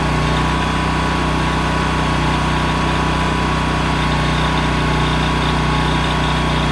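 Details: Honda EM6500SX electric-start generator after carburetor cleaning and oil change, loaded with a heat gun through an amp/watt meter. A loud, steady, even drone with no hunting or surging. It runs normally under load.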